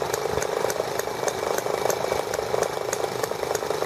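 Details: ET8 model engine running for the first time since carburetor work, main needle about half a turn open; small engine buzzing at steady high speed with even beat, no misses or rattles; started easily, runs cleanly.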